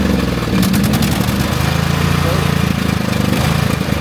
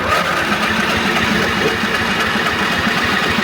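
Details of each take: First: Craftsman GT5000 riding mower, 22 HP Briggs & Stratton ELS OHV V-twin, after carburetor cleaning for a no-start: catches quickly, brief surging that stops within seconds, then steady even V-twin beat; runs healthy. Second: Craftsman GT5000 riding mower, 22 HP Briggs & Stratton ELS 725 OHV V-twin. The starter cranks the engine steadily but it never fires, even with choke. It won't start, and a clogged carburetor is the suspected cause before cleaning.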